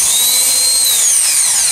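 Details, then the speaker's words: Chevrolet Blazer pickup with a starter motor problem: on cranking, a high thin whir as the starter spins freely without turning the engine, which won't start; starter, located under the manifold, is removed for repair. "um problema no motor de partida vamos dar o arranque para vocês verem"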